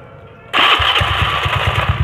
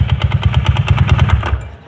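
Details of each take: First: Honda Beat carburetor scooter after repair: engine catches and settles into a smooth, even idle with none of the earlier tok-tok tapping; noise was traced to a loose magnet fan boss, now fixed, running normally. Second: Honda Beat carburetor automatic scooter at idle: quick sharp knock about nine per second that stops as the engine dies; loose magneto fan boss, noise gone after fixing.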